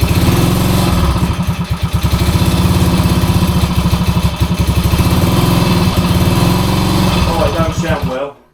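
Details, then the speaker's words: 1966 Honda C200 off the road since 1972, first runs on full choke, fuel possibly not getting through: small engine fires with an uneven, lumpy, stumbling beat at low speed; runs but rough, cause not evident. "but it runs. That don't sound well at all. It's not well."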